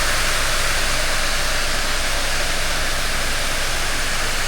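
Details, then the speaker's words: Ford Escape blower motor, tested with the dash removed: steady, even rush of air with no rattle, whine or scraping; the horrible noise it was making is now absent. "It was making a horrible noise. And now it is not making noise."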